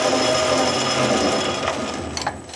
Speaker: They're not going to be quiet because they are straight cut gears, you always get a little bit of noise.